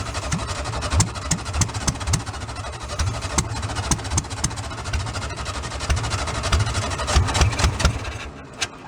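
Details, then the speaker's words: Old VW split-window bus engine after about 40 years in a junkyard, bottle-fed fresh fuel with no tank line: lumpy, uneven idle about four beats a second with irregular misfiring; left side just began firing properly, cause unknown. "the left side just started firing right"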